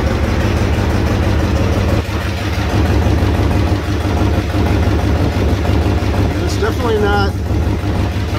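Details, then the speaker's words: Chevrolet Trailblazer 5.3L V8 after DOD/AFM delete, exhaust pipe partly welded; idle carries a steady fast puffing tick about three per second under the low rumble, a pipe leak rather than a manifold leak. "manifold leak. That's actually a pipe leak."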